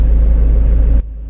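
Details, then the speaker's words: Land Rover after replacing a faulty V-belt tensioner that caused engine noise, heard from the cabin: smooth, low, even hum at idle with no squeal, chirp or rattle; normal idle. "शुरुआत हो चुकी है। अभी कोई आवाज़ नहीं आ रही है।"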